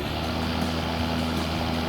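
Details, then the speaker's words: Greenworks 60V 30-inch electric lawn tractor with the PTO switch pulled up to engage the mower blades: even low hum with a steady whirring rush from the deck, no scraping or wobble; blade motors spinning normally. "The PTO, or pull to operate, switch engages and disengages the mower blades."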